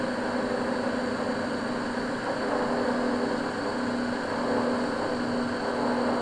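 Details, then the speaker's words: Vaillant 837 home boiler forced to high fire: constant rushing roar with low humming buzz, kettling as a blocked coil in the partly blocked main heat exchanger overheats and vibrates against the other coils. "okay so basically what you're hearing there is the coils vibrating where they're overheating within the boiler"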